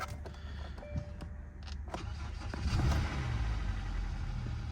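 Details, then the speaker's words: Hyundai at Copart auction yard on a hot, almost 90-degree day, fluids fine: a few clicks, quick crank, catches at once and settles to a low steady idle without stumble; normal start, engine very smooth; airbag, ABS and traction lights on. "Started right up. Engine feels very smooth."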